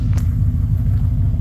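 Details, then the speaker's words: Engine idling around 1000 rpm on a possibly inaccurate tach, steady low smooth rumble that won't idle down; owner suspects exhaust plugged (two cats and muffler, shooting charcoal black); good oil pressure, not overheating. "right now it's idling around a grand it doesn't really want to idle down anymore but I think that's because I'm pretty certain the exhaust is plugged"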